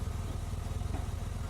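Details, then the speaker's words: 2003 Honda Accord V6 after engine swap (old engine had rod knock) and dead cylinder 5 coil replaced, at operating temperature: steady, even idle with radiator fans whooshing, no misses or knocks, no check engine light; normal idle. "So here we have the engine. The radiator fans are presently running, and as you can hear, runs smooth."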